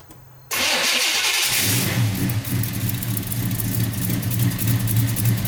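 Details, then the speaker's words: 1990 Chevy Camaro, SBC 350 V8 with Flowmaster mufflers, newly fitted Holley Hyperspark distributor, coil and ignition box. Starts on the third try once the white wire was connected, then revs cleanly with an even V8 burble. Normal start. "all right awesome it started right up so that was the issue that one white wire a white wire that comes out they didn't botch there I don't want to run too long because I don't have anything set up running wires that got that fire but it sounds good it's revving really good"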